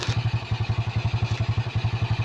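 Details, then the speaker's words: SYM carbureted scooter that started then died, after draining watery fuel and fitting a new CDI (CDI and ignition coil found faulty): even putt-putt idle at about ten pulses a second, no misses; idling cleanly. "Try natin paandarin pangander na siya. Ayan kita niyo umandar na. So umandar na siya guys."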